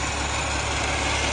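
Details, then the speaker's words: Peterborough roll-off truck with a new Caterpillar C13 engine; steady idle with a constant droning hum from the hydraulic pump, left engaged on PTO after unloading a dumpster. Disengaging the PTO reveals a separate ticking noise. "so you hear that noise it's making is the driver the driver I step away from it the driver unloaded the dumpster and then left the hydraulics in that's why it's making that"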